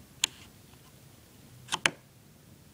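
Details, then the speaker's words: Three-speed dimmer wall control for a 44" Hampton Bay Clarkston ceiling fan: quiet room, then sharp dry clicks as the knob snaps into its off detent; normal click confirming fully off. "And if you want to turn it off, it has to make this sound. It has to make that sound so you know it's turned off fully."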